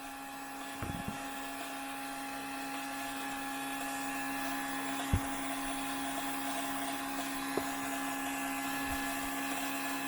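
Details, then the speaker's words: Fuel pump priming a 2002 6.0L drive-by-cable LS V8, fuel through crossover tube: steady high whine with light handling clicks; a possible tiny leak spotted, maybe from O-rings seating after first startup. "I can hear the fuel going through the crossover tube. Don't see any. Check the other side. No leaks here."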